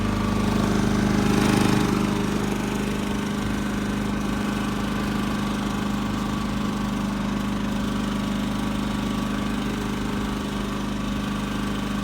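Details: New Champion 3400 W dual fuel inverter generator, model 100263, powering an RV through a 50-to-30 amp dog bone: smooth, even engine drone with a steady low hum, no misses, surging or knocks. Normal running under load.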